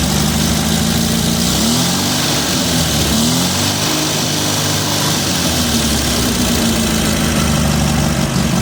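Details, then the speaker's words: MGB that lost power above 3000 rpm on highway drive and barely idles; needs choke to keep running, idle hunts and wobbles; rough idle, owner suspects insufficient fuel, possibly a fuel fault. "i don't know why i need choke to keep this running listen to it it sounds like it sounds horrible"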